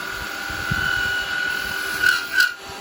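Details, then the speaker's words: Record Power 1/4" spindle gouge turning wood: thin steady high-pitched screech with two sharper squeals as it bites, plus chatter felt through the tool. Cause is a flute ground too long; it needs grinding down and is unusable as is. "but I can hear and I can feel I can hear it screeching I can feel it a bit screechy and it is literally because it's too long a flu you've got too long a flute on it"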